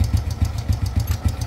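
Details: Wave A100 motorbike running: light, even ticking about six per second that gets louder as throttle rises, pointing to worn valve gear in the head after long use.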